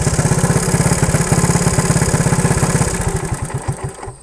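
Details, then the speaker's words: 1977 Honda ATC 90 two-stroke, air-cooled three-wheeler, first start after sitting for years, warming up: fast, even popping that slows and fades within a second when throttle drops; won't idle. "doesn't want to idle you know what I'm already ready even with even with the little plant growing on the side of it I'm gonna choke it real quick"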